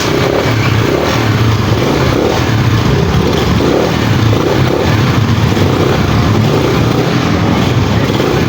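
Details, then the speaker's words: Motorcycle with primary-type stator, before converting to 4-pin Lihua CDI; repeated cranking bursts, engine coughing but never settling into a run; owner suspects burnt primary coil, not yet tested. Hard starting. "So yun na nga mga ka- boss amo Grabe po yung pagh starting ng motor na ' so Ayaw talaga niyang mag-start so kapag ganito mga ka- boss amo ang pwedeng maging problema nito Yung kanyang primary coil Baka kasi sobrang sunog na"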